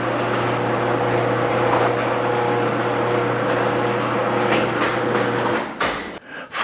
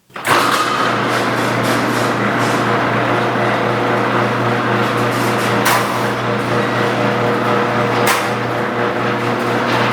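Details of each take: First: Garage door after replacing all 12 metal rollers with nylon rollers: steady low opener motor hum with no clatter or squeal from the rollers; quiet garage door operation. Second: A garage door with old metal rollers, before they were replaced with nylon rollers, runs under the opener motor's hum. It makes a loud, continuous rattling clatter with two sharp clunks, like metal scraping metal.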